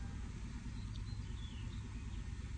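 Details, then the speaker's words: Toyota secondary air injection system after fault found, scan tool monitoring pump pressure; low even drone over a smooth idle, no rattles or surging as the air pump kicks on; normal secondary air pump operation. "See that the pump is kicking on."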